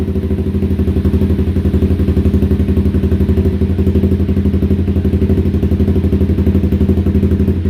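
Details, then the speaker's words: 2016 Honda CBR300R with bogging, stalling and rough idle, after adding fuel: a fast, pulsing, strained idle that keeps almost dying while trying to stay running. The cause is a clogged fuel injector. "oh so close oh she's trying man she wants to stay running"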